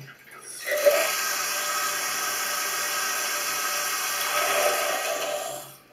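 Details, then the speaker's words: Toilet cistern flush valve seal (joint de chasse d'eau) leaking slightly but continuously, possibly from sand grains or limescale: a short five-second refill hiss, then silence, as the tank periodically tops itself up. "La fuite du joint de chasse d'eau, elle est continue. Mais toute petite, parce que c'est peut-être des grains de sable ou du calcaire."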